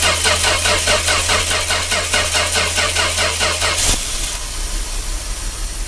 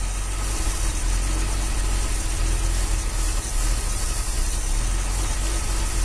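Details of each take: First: 1966 Dodge A100 van, 225 CI Slant Six, cold start after long sitting: even starter churn about 2.5 beats a second for four seconds, never catches; engine had been cutting out suddenly; no spark at coil. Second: 1966 Dodge A100 van, 225 CI Slant Six, cold after long sitting, running with jumper wire bypassing factory wiring to coil: steady low rumble at even idle, no misses; carburetor accelerator pump not squirting; normal idle.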